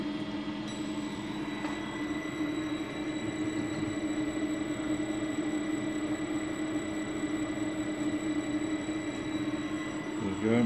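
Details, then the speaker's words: Nikki Denso ACTUS POWER NPSA-202MU AC servo drive, for a three-phase printing-press motor, powered on a test jig after repair: steady, even motor hum with a faint high electrical whine and no knocks or surging; normal running. "Here we have the drive. We're going to switch it on, put some power on."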